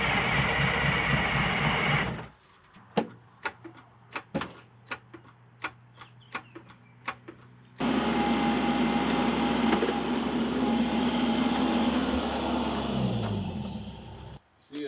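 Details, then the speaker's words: 1979 GMC Astro cabover, 8V92 2-stroke Detroit diesel that sat 7 years, with gas down the intake: long spells of steady, healthy-sounding cranking with no firing; fuel lines are dry, so no fuel is reaching it. "fuel comes out of there no we're obviously not getting fuel i think i think it'll run it sounds healthy enough when we're cranking it over"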